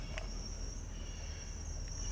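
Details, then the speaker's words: Dodge Durango, about 64,000 miles, possibly a 360 engine, recorded on a mic worn by the driver while rolling: a thin, steady high squeal over road rumble; the worn brake pad on one side is touching the rotor. "oh that sounds like brakes it can't be bearings well it can be bearing because i'm rolling"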